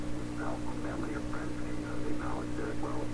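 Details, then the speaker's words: 1928 RCA Victor Model 28V tube radio, tuned to a station; steady low mains hum with overtones under muffled, garbled audio; owner suspects power-supply 60-cycle hum amplified in the RF tubes causes the garble. "So first, you hear that hum? That hum? That's probably power supply hum."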